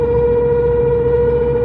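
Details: Honda RD1 just after a full clutch replacement (release bearing, pressure plate, disc). A steady, fairly high howl that holds one pitch; the owner is unsure whether it is clutch-related or the driveshaft centre support bearing.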